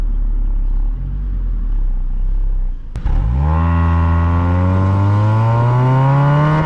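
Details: Honda Accord Euro CU2 with K-series engine, fitted with Vibrant ultra-quiet centre resonator (not delete), heat-wrapped PLM downpipe and high-flow cat to cure an annoying buzz: crank and catch, then smooth, low, even hum rising cleanly with revs, no drone or rasp; normal exhaust note.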